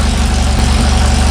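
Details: Sand rail engine just started after the fuel pump needed grounding: loud, lumpy low rumble with quick, even open-header exhaust pulses at steady idle; fresh engine healthy.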